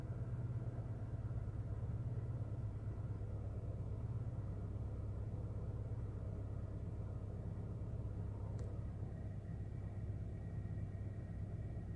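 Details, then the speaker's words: 2008 Honda Fit at idle: low, uneven rumble with an irregular stumble, still a random misfire during troubleshooting, cause not yet found. "still misfiring sounds like [Music]"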